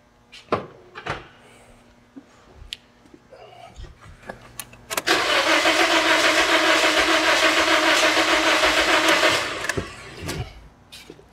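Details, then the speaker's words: 2009 Toyota Corolla with a misfire despite new coils, plugs, injectors and PCM; cranking with injectors disconnected, the starter rhythm lurches unevenly as a low-compression dead cylinder passes. "were you able to hear that that's the sound of a dead hole so this thing did not need ignition cause I did not need spark plugs that did not need injectors and it did not need a PCM"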